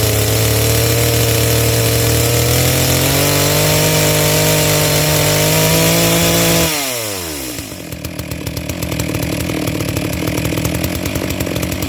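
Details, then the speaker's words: New Neotec NS892 (Stihl MS660 clone) two-stroke chainsaw, first start out of the box, brand new chain: steady high scream then winds down, note slightly soft and burbly; carburetor tuned on the rich side. "it sounds like it's pretty close where it's at yeah it's definitely on the rich side but that's fine with a brand new piece of equipment"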